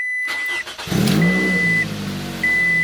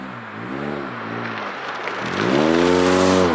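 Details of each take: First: Petrol Scion tC cranks and catches quickly, settling to an even idle with no exhaust rattle after the exhaust rattle fix, over a repeating chime; previously rattled on startup and vibrated at 2,000 rpm. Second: hopefully the fans turn on and hopefully you guys will be able to hear the rasp from the exhaust a little bit better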